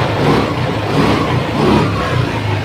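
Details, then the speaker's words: TVS Wego scooter after a wiring repair, started on its stand via the self-start: the small engine picks up smoothly on throttle blips, rising and falling cleanly without misses or knocks; normal running. "দেখুন গাড়ি পুরো start."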